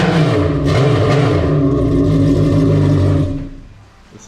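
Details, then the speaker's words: Naturally aspirated Yamaha GP1800R jet ski with impeller and stage 1 accessories, after build: strong even roar held at revs then clean drop-off, no knocks or misses; sounds very nice, healthy engine. "sounds very nice."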